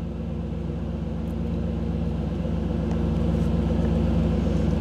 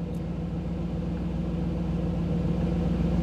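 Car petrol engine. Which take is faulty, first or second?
first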